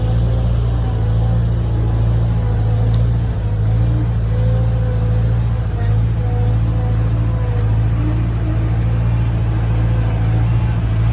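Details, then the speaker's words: Refurbished Bobcat skid steer diesel, lifting bucket: faint wavering whine rises and falls over diesel drone; owner believes air circulating in self-bleeding hydraulic system, unconfirmed. "At this point, you can hear some whining. I believe that's the air circulating through the system. It should, I believe it's a self-bleed, so it should get out of there."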